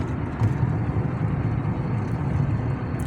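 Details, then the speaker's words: 2007 Chrysler 300C driving on rough road after front and rear shocks, rear bushings and other parts replaced (plugs and coils also changed for cylinder 2 misfire P0302): steady low road rumble, no clunks, knocks or creaks; suspension quiet. "نحن ماشيين ما في اصوات ما في ان شاء الله رايحين نعمل لها ميزانيه وتكون امورها 100% باذن الله تعالى"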